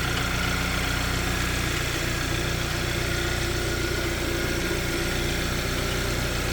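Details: Hyundai Sonata petrol engine at idle with a light, regular tick-tick-tack ticking of about three per second from the engine bay, most prominent at idle; appeared suddenly one day.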